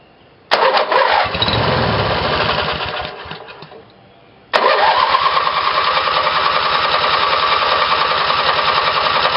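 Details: Twin-cylinder Briggs & Stratton small engine with replacement battery ignition, two GM LS2 coils triggered by the failed magneto's primary winding: one short crank that dies, then it catches and settles into a steady, even run; normal start.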